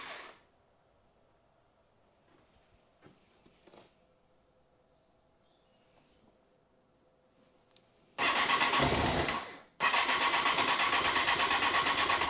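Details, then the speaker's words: Honda CBR954 Fireblade after six-month rebuild, first start: silence, then the engine catches with a loud rough burst, dies briefly and picks up unevenly; stumbling start, owner suspects fuel delivery or pressure. "I think it's fuel I think I mean I put quite a lot of fuel in there but it's fuel"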